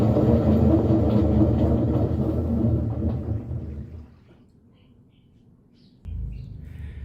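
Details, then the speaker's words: General Electric washer in spin, with its faulty timer advanced by hand because it won't progress. A loud, heavy rumbling roar eases off as the drum slows. The washer is very noisy when spinning; the likely repair is bearings and seal plus a timer check. "la lavadora ya hizo su exprimido avanzando el temporizador y como pudimos darnos cuenta hace mucho ruido al estar exprimiendo"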